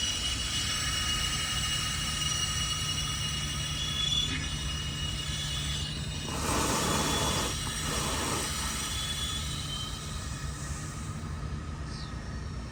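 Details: Toro golf-course sprinkler head after repair of cart damage: quiet hiss, then a two-second rush of spraying water as the head pops up and runs normally.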